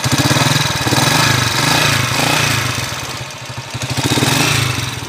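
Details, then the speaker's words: Noisy timing gear on a TMX 155 single-cylinder motorcycle engine at idle: busy metallic clatter over the thumps; it also smokes heavily and leaks oil underneath. "oh TMX 155 kabawasan number one maingay timing gear tapos kalakas ng"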